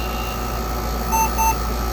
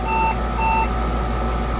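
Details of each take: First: Compaq Portable II after the memory error repair and GoTek mod: two short high beeps a fraction of a second apart over a steady fan hum; a clean power-on self-test that counts 640K and boots from the hard drive without errors. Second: Compaq Portable 2 powering on after a faulty memory chip was replaced, with the drives not fitted: 640K OK, then two short high beeps over the fan hum signal a disk controller error.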